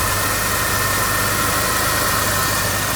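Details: 2001 Buick LeSabre V6 derby car, smoking from leaking valve cover gaskets: steady, even idle with a smooth unbroken rumble, no knocks, ticks or misses; normal idle.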